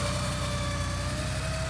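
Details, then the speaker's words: 1983 Porsche 944 revived after sitting 14 years: low, smooth, even idle with no misses or knocks; temperature and oil pressure gauges normal, no leaks. "temperature gauge is perfect, oil pressure is perfect, sounds good idling here."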